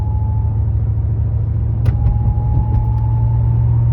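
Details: Pontiac G8 GT: thin steady high-pitched whine above road rumble from 30 into the 40s mph, also when decelerating off the gas; seems to come from the back of the engine or near the transmission, unconfirmed.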